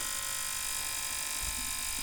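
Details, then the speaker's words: VGT-1000 35W 40kHz ultrasonic cleaner after reconnecting the piezoelectric transducer: steady, even high-pitched buzz with no dropouts or stutter; transducer driving properly, cleaner running normally after repair. "you hear that? It's working."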